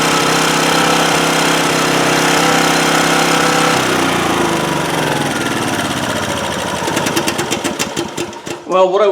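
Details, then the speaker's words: 2008 Homelite GC1800A 1800 W generator, carburetor already cleaned: runs evenly at half choke, then sags into uneven popping and dies off choke; lean running from inadequate fuel flow through the carburetor. "what I was trying to demonstrate there is it's running best at half choke and so that's telling me carburetor is not the fuel flow through that carburetor is not really adequate"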